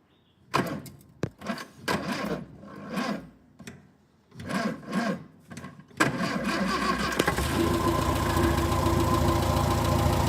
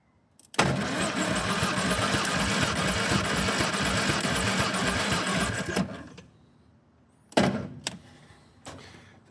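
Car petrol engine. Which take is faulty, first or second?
second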